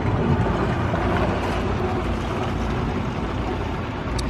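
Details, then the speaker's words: Dynamax DX3 RV dumping its black holding tank through the macerator pump into the hose, valves opened; steady churning whir with rushing water, no stalling or surging: macerator running normally. "now the water is flowing from the black tank inside the camper through here, the macerator, which is chewing on everything, and then it's running through the hose down there."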